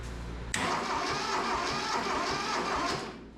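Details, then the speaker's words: Neglected, rusted Mitsubishi MT372 diesel tractor after long sitting: about three seconds of steady, rapid starter churn, engine turning evenly but never firing; cranks but no start, owner thinks fuel still needs pumping up. "She turns over, so that's cool. Heck yeah."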